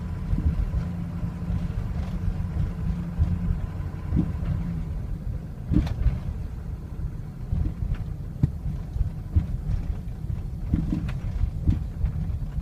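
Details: 2003 Ford Excursion 6.0L Powerstroke diesel, suddenly running poorly over two days: heavy idle that lumps and surges unevenly with occasional stumbles; rough idle worsens when warm, may stall, hard hot restarts, starts well cold; cause unknown.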